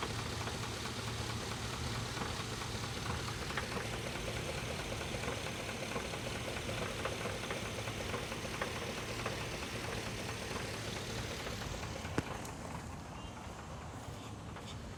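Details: Chevrolet 5.3 Vortec V8 idling with a dull loose knock about twice a second; rod knock at idle, owner also mentions a blown head gasket.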